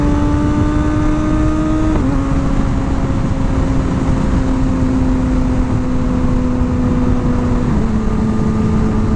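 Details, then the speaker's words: Reference motorcycle, not the 2021 ZX-10R it is compared against, under full acceleration through the gears: a clean, steady high tone drops neatly at each shift with no roughness; the owner's ideal smooth engine sound. "i'll do a full acceleration through those gears so you can hear the differences and uh and then we'll jump on the zx10 and i'll show you what i'm talking about but to me this is the ideal sound the ideal feel of the bike"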